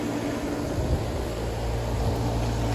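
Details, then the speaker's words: Rooftop AC condenser after a capacitor replacement, with the reading dropped from 81 to 29 and pressure returning to normal: steady low hum with a smooth fan rush, no clatter or stalling; normal condenser operation. "so we're going to let that run pressure's going back down to normal and yeah boys we're done here"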